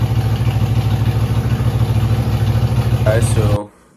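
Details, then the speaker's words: Freshly rebuilt 5.3 LS V8 with a Truck Norris cam and BTR beehive springs, on its first fire-up with an MSD ignition box on a preset. Rough, choppy running with uneven pulses before it dies, as if one bank is dead. Misfire from wrong ignition timing. "you guys saw the first fire up. Uh, it went pretty good. Uh, the timing wasn't right at first."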